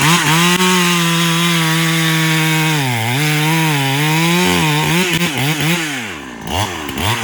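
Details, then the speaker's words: Farmertec Husky 372XP clone chainsaw after new ported cylinder kit, carb running fat on top, dull chain, cutting wet unknown wood: strong high-revving snarl sags slightly into the cut and recovers quickly; healthy, more power than before. "but this thing is definitely just ripping some wood I pulled some wet piece of wood out of here I have no idea what type of wood it is yes you definitely got more power no doubt about it"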